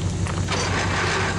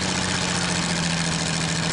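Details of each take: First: Worthington tractor, Chrysler 218 flathead six, first start in decades: deep, steady rumble with even firing on all six cylinders; a bad water pump rattles slightly. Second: Old Worthington truck/tractor six-cylinder at first start in decades, now running on all six: a steady, slightly uneven idle with a light rattle from a bad water pump.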